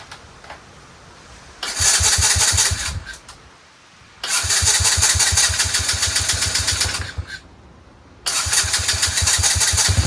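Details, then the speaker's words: Chinese 125cc ATV quad with intermittent spark: it starts and runs about a minute, then loses spark. Three bursts of steady cranking, about 3–4 turns a second, never firing. Owner suspects the CDI, the ignition kill wire or the switch. "it'll lose spark I don't know why and then I'll wake up the next morning"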